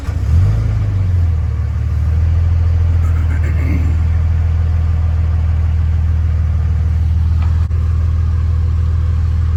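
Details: Early 2007 Ram 3500 5.9 Cummins diesel, G56, 326,000 miles, old batteries, cold start at 31°F; short crank, fires within half a second, flares briefly and settles to steady, even low idle, a healthy cold start.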